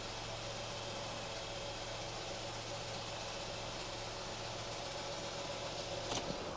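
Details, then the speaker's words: 2013 Ford Fiesta 1.0 petrol idling just after an oil and filter change: quiet, steady idle hum, unchanging note, no ticking or knocking; oil pressure light went straight out, running fine. "I'll just let that tick over. Sounds good. The oil pressure light's gone straight out."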